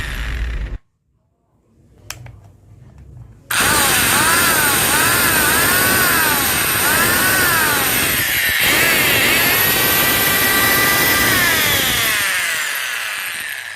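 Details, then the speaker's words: Angle grinder after repair with bearings greased and connections reattached; motor spins up to a steady high whine that holds even, then winds down smoothly, normal running. "Tubok, yan, tumakbo na siya."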